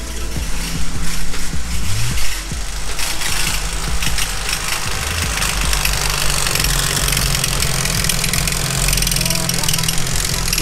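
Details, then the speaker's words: 500 hp turbo B18C5 Integra Type R engine idling with a loud rapid metallic knock at the timing belt end, still there with alternator belt removed; cause a loose crank timing pulley. "so initially the customer thought it was the alternator so i removed the belt noise is still there"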